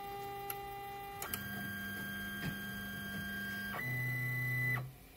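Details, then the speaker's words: Polaroid Playsmart 3D printer auto-homing before a print while heating to temperature: clean stepper-motor whines shifting pitch per axis, then a firm stop; homing runs normally, though the bed's left side keeps losing level after prints. "it's gonna reach temperature it's going to auto home first no problems with auto"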